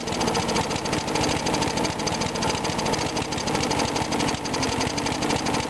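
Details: Briggs & Stratton single-cylinder mower engine cold-started at 35°F after long sitting, water suspected in the gas; started first pull. Fast steady buzz without stumbles or surging; normal running.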